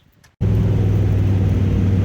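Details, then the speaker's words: Drag-and-drive race car with an upjetted carburetor, switched from E85 back to 93 gasoline after breaking-up problems, with a very rich, safe tune after 3 iterations: the engine catches and settles into a deep, steady low rumble with no misses or knocks. It runs normally. "It took about 3 iterations to get a good tune-up on it, and the tune-up was very rich and very safe."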